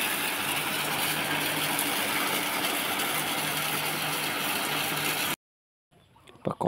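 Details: 2 HP electric water pump running smoothly with steady even hum and strong hiss of flowing water, after replacing the capacitor that had left it humming without spinning and tripping the breaker.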